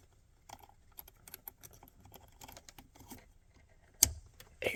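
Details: 2022 Chevy Colorado ignition lock solenoid with an intermittently stuck key, connector reconnected: light fiddling, then one crisp click as power returns; solenoid engaging normally.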